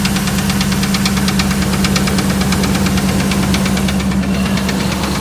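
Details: 2008 Dodge Ram 1500 5.7 Hemi at idle: a sharp, regular knock about three per second over the engine note. Five mechanics could not identify it and suggested a new engine; origin unknown.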